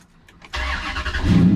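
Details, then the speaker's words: 2003 Dodge Ram 1500 Hemi, 383,764 miles, fully warm after an hour of running, with new battery terminals: a firm, steady, strong crank with no drag, catching almost instantly and settling to an even idle. "hear how it was strong there was no drag i mean it just fired right up so that's what i was looking for"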